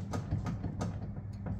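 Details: 1991 Honda Civic EF hatchback, B16 engine: sharp uneven clicks over a low rumble from the front end as the wheel is turned, traced to loose upper control arm bolts.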